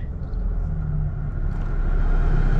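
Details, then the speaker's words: 2013 Chevy Cruze 1.4L turbo after front catalytic converter replacement (no-acceleration complaint): steady low even rumble, no knocks or misses, no check engine light; smooth healthy idle. "sounds pretty good already no check engine light good stuff"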